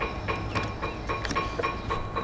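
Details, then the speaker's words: Chevrolet with a no-crank fault during starting-system diagnosis: starter relay clicking crisply about four times a second as it is cycled on and off, over a low hum; relay switching normally, with anti-theft, computer and wiring reported good. "I just wanna let everyone hear that this relay is gonna click."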